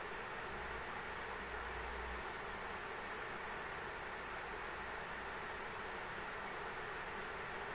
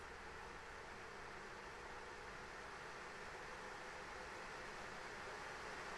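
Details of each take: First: ASUS ROG Strix RTX 3090 in an XTIA open test frame during 3DMark Time Spy, auto fan profile: loud steady airflow rush as fans ramp to 100% holding 77–79 °C, ~1950 MHz, masking coil whine. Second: ASUS ROG Strix RTX 3090 graphics card fans stepped from 40% up to 100% in 10% increments during a fan-noise test; steady, even rushing whoosh with no pulsing, rattle or whine, normal fan noise at full speed.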